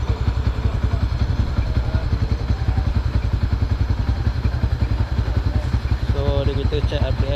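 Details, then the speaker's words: Yamaha Y15ZR with changed exhaust, throttle body never serviced, idling at about 900 rpm versus the standard 1400-1500, before the throttle body service: a slow, lazy single-cylinder thump with an even beat. The idle speed is too low and needs setting back. "RPM dia terlampau rendah tau. Dia main kat 900. Biasa kalau standard dalam 1400 tak ke 1500."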